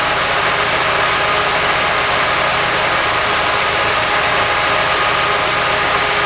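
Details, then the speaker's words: Nissan 240SX S14 Kouki SR20DET idling badly, coil pack unplug changing little before moving to the injectors: uneven stumbling idle with irregular shake under steady hiss; dead cylinder from a failed injector, vacuum line suspected of worsening it. "It didn't make a big difference. It's still pretty bad right now, but Take it to the injectors."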